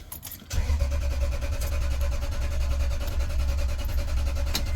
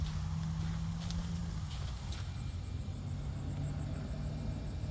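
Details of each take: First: A jump-started Toyota with a blown ignition fuse: the starter spins the engine evenly for several seconds, but it never fires. The fuel pump runs when jumped, so the pump itself is good; there is no command to the pump, and a lack of spark is suspected. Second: A Toyota that won't start, heard at the fuel pump with its circuit jumped: a faint, steady low buzz. The pump runs, so the pump itself is good and the pump command from the car is missing.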